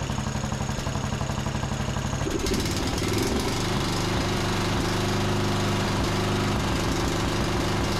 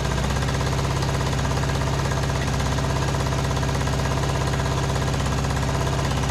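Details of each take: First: John Deere D110 riding mower single-cylinder engine after regapping the spark plug to 0.030 in, tightening it, and richening the cap-limited carburetor about a quarter turn: it catches after a couple of seconds, then settles into a steady, even mid-pitched run with no misses. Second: John Deere D110 riding mower, after carb spray flush: harsh, uneven chugging with a hammering beat about three per second instead of smooth idle; misfire traced to spark plug only hand-threaded, loose.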